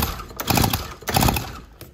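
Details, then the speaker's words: Stihl FS130R 4-Mix four-stroke trimmer, previously very hard to pull, after adjusting the intake and exhaust valves, spark plug back in; two smooth, even pull-over strokes with no hitch, compression now feeling normal. "wow okay that makes a huge difference so just that tiny adjustment to the exhaust valve and the intake valve what a huge what a huge difference that feels exactly like it should now"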